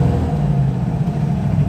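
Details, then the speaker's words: Carbureted 4.6 V8 with dual-port Offenhauser intake on a road test, idling very rough: after a rev, the deep rumble hangs at raised speed instead of returning to idle; a weak return spring or binding linkage is suspected. "The throttle, there we are, it's holding open. It needs a stronger return spring or the linkages looked at because they might be binding a little bit."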